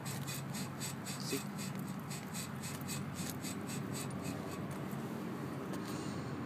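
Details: Honda front passenger wheel, car parked and rocked by hand: dry, rhythmic squeak-rub about three times a second from the suspension.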